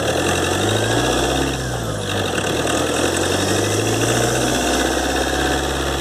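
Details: 2013 Ford Transit 2.2 diesel, warm, phone mic under the hood while driving, after turbo repair (compressor wheel, shaft bushings, seals, actuator rebuilt): thin high whistle rising and falling with engine speed; repair failed, owner suspects imbalance.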